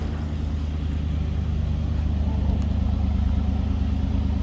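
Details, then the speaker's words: 1986 Chevrolet Camaro IROC Z28, heard from the rear at the tailpipe, no loud exhaust or big cam: mild, smooth, even low rumble with no lope or misses; normal idle. "No crazy exhaust, no big heavy thick cam in this thing."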